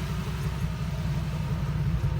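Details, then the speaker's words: 1998 Jeep Wrangler TJ with swapped-in 5.3 LM7 V8 from a 2003 Tahoe, idling; deep, even low rumble with a steady regular beat, no knocks or misses. Normal exhaust rumble. "exhaust it sounds so good when you're driving it"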